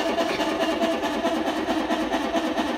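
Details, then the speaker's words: Whirlpool 18 kg washer that would not spin, running with a jumper bridging the tub-imbalance cutoff part: strong spin with a steady pulsing hum and a light mid-pitched belt squeal, which is harmless. "el chillido que tiene es por la banda, entonces eso no le prestemos atención, no hay ningún problema, esto ahorita se resuelve."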